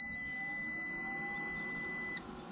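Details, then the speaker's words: SunGoldPower inverter hooked to an old golf cart's lithium batteries (53.2 V) gives one steady high beep of about two seconds at power-on, then cuts off cleanly. It is a normal power-up, with both lines reading 120 V at 60 Hz. "and there it's powering up we're showing line one is 120 volts and line two is 120 volts"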